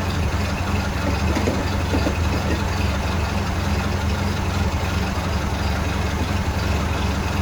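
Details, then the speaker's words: 1931 Ford Model A pickup four-cylinder, after fixing misfire with new distributor cap, rotor and parts, rotor-to-points gap checked: steady deep even thrum, no skips; running cleanly on all four cylinders, normal idle. "so let's leave it at that and start it up S pretty good all four [Music] cylinders"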